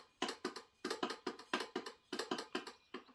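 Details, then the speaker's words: Removed vacuum pump from a 6.5 Detroit diesel turbo truck whose turbo spools slowly, turned by hand: loose, uneven rattly clacking, clapped out compared with the tight new pump; worn vacuum pump, suspected cause of poor boost. "it does not sound good it sounds kind of clapped out"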